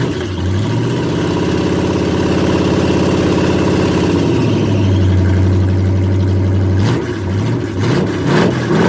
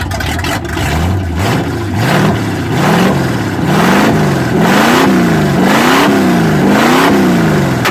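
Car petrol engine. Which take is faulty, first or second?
first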